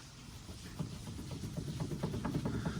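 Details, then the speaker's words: GM truck/SUV steering shaft rocked by hand: quick dull knocks about four a second from a worn slip joint with excessive play, causing clunking felt in the steering wheel over bumps or when turning, often mistaken for suspension. "go over a bump you hit that you hear this you know that noise that's what that is a lot of people think it's a suspension although the suspension can mimic that"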